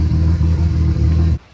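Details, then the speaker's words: Nissan S14 RB25DET with new head, idling while warming up after coolant fill, smoke from oil on manifold and turbo burning off: smooth steady low idle with even pulse, no ticking or knocking, before shutoff; normal idle. "so yeah I'm going to get the water filled up and let her run for a little bit sounds good got some smoke from some oil that got all over the manifold and the Turbo burning off she's warming up and drinking a little water"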